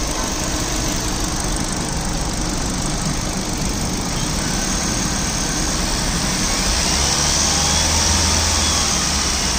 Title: I20 Sportz, HR26, Petrol, 2013-2014, Engine noise.